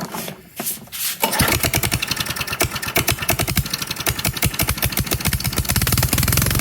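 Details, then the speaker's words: Sears/Craftsman 22-inch self-propelled push mower (917.378170), small single-cylinder: catches and runs with a sharp, uneven popping beat, then quits; leaking carburetor float needle seat floods it, needle taken apart and cleaned. "updates the craftsman self-propelled has failed it leaked this uh needle decided to quit working and took it back apart to clean it"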